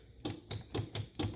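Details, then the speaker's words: Owner's vehicle with a seized starter, key turned after it slowed on previous starts and ran hot; solenoid and battery connections tight, so likely not a connection issue: sharp dry clicks about four per second, no cranking at all. "anyway I think it's just a seized up starter"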